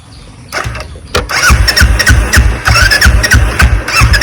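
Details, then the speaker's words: Kick-started motorcycle after water got into the petrol and carburetor, choke pulled: repeated kicks each give a brief churn and squeak, but the engine never catches; a cranking no-start, cause suspected, not confirmed. "Start ആവുന്നില്ല guys നമുക്ക് ഇവിടെന്നും വലിക്കാനുണ്ടോ shock വലിച്ചു"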